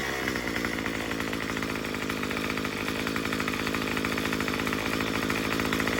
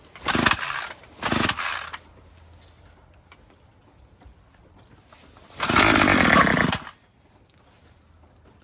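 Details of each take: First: Murray M2500 two-stroke trimmer after adjusting the new carburetor's high-speed mixture screw counterclockwise; buzzes at high revs in a fast, even stream of pulses with no sag or stumble. Bogging is cured. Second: Murray M2500 string trimmer, fired up after a new carburetor kit and spark plug; short revving bursts die away, never holding speed. It bogs on an untuned high-speed mixture screw, later turned counterclockwise.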